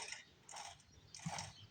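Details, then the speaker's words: 7 HP Briggs & Stratton from a log splitter, sat in a shed 15 years, plug out with penetrant in the cylinder, rolled over slowly by hand: soft puff and pop about every half second; compression and valves working. "can hear popping noises like the bells are open so that's a good sign foreign it's got some compression because it's blowing some stuff out so that's another good sign"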